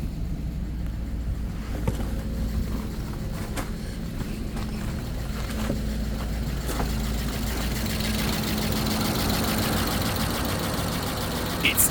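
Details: 2001 Audi A8 quattro, 3.7 L, first start after 11 years in storage, new battery, alternator disconnected after it smoked: low, fairly steady idle with a faint uneven pulse. Later it misses occasionally when warm. Idle after long storage.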